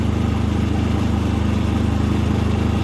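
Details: New Predator 3500 inverter generator on first start, pull-started then switched to run, economy switch off: even, steady low putter about three beats a second, no misses or knocks; running smoothly and very quietly.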